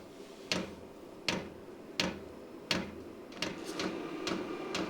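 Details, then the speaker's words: New Vevor diesel heater at first start in a workshop, set mid-range: sharp single ticks under a second apart from the rear as the dosing pump primes normally, slowly pushing fuel through long lines. "I hear a bit of knocking I think that's the fuel pump yeah it's coming from back here I bet that's the fuel pump making that"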